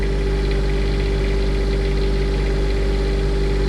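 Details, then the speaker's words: Onan Quietdiesel 7500 W generator in a 2000 Holiday Rambler Endeavor, 2400 run hours, after full service, just dropped to low idle, 72–73 dB in front: steady, even diesel drone, no knocks or surging; normal. "Well, now the idle just dropped down. Around 6 to 8 on the side."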